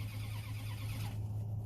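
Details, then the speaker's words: 1998 Dodge Ram 1500 cranks with a steady starter drone but never catches: scan shows cam counts but no crank counts, so no injection or ignition. Crank sensor internally shorted or harness at fault. "so it's not going to start we're not going to get injectors and ignition and all that"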